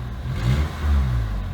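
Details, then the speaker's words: Geo Prizm with no codes, blipped twice at rest: deep, raw, puffing rumble from a definite exhaust leak; owner plans to find and replace the failed gasket. "I mean, it starts up real good. It's got a definite exhaust leak, for sure."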